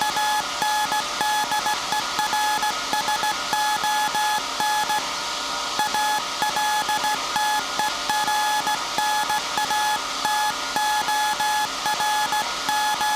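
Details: SAQ Grimeton 1924 Alexanderson alternator VLF transmitter on 17.2 kHz CW, December 1st 2024 centennial transmission, punch tape transmitter soon to stop and hand over to hand keying: steady tone near 900 Hz, clean even-paced dots and dashes, light room hiss; normal CW keying.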